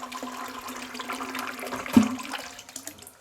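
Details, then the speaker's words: Caroma Stylus dual-flush toilet cistern: water rushes into the bowl and keeps running instead of shutting off after the flush. "This is the sort of thing that I'm talking about. You see it should have stopped running but it's continuing to run. So that's not right."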